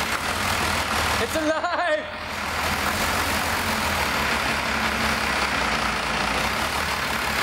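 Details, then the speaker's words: 1985 Dodge Ram W350 crew cab dually with a swapped 5.9 Cummins 12-valve diesel, first start after possibly years without running: it catches and settles into a loud, uneven clattering idle. Rough running, cause unconfirmed; owner may adjust injection pump timing. "it's not sounding 100% but well that's good anyway at least it runs I know it runs it doesn't R sound good"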